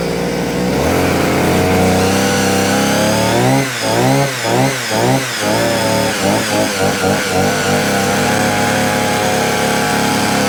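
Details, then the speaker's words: Vevor 6-in-1 multi-tool two-stroke with hedge trimmer attachment, blades unstuck after jamming on metal: engine runs up and holds a steady buzz with a couple of throttle dips and clean recovery; trimmer working properly. "Pull my It's working. Yeah, it's working now."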